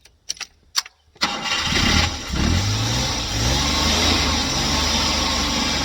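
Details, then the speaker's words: Car after the gas was turned down and the air closed in (the mixture had been set too rich), battery tested good: a few quiet clicks, then it catches within a second and settles into a steady, even idle with no misses. "Paketda ham ishlamagan shekilli. bu qisasi yurdi do'stlar."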